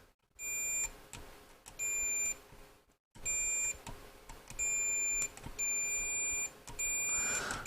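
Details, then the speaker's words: Multimeter continuity beeps while probing wiring (green wire at C6, expected T12 centre tap) in a 1944 wartime civilian radio receiver still not working after valve replacement: clear high-pitched half-second beeps, about six in eight seconds. "um just put the multimeter on continuity a minute just so you can hear what I'm doing"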